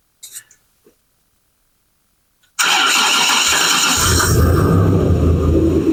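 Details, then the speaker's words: 1990 Toyota truck on first start after reassembly: the starter catches and the engine settles into a slightly uneven idle. Still running rough; cause unconfirmed, compression test of the suspect cylinder planned. "So, it's still not running perfect. I think it's running better than it did. Johnny doesn't think so."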